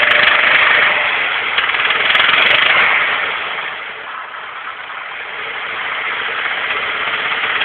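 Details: Nissan SR20DE petrol engine being revved. A fast, fairly even tapping starts around 2000 rpm, stops and then returns when revved again; knock suspected, cause not pinned down.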